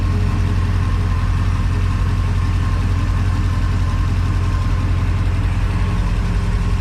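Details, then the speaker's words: Crusader marine inboard V8 after injectors were rebuilt and tested and fuel rails cleaned: steady, even low rumble at idle with no misses or knocks, running much better; cylinders seven and eight now firing. "you go there we go running so much better"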